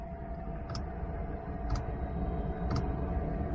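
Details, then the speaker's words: Chinese parking heater in a car, running about an hour after its first start following summer storage, fan near 1900 rpm: crisp dosing-pump tick about once a second over steady blower rush. Normal dosing pump ticking. "jetzt läuft sieht man ihr habt sie mit einer taktfrequenz läuft laufen das hat man an der pumpe"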